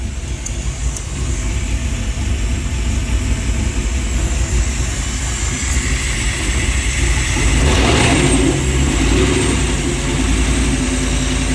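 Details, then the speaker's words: V8-swapped Chevy S10 after revival, running with no coolant in it: smooth, deep, even V8 rumble with a slight rise and no misses; a vacuum leak at a nipple was suspected afterward. "It's so smooth. Yeah, get it all out."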